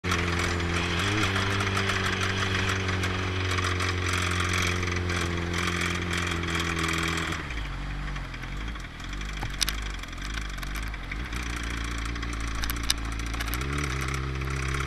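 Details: 2016 fifth-generation ZX-10R sport bike with 717 miles, idling: a faint, uneven knock in the steady engine hum; suspected bad rod bearing.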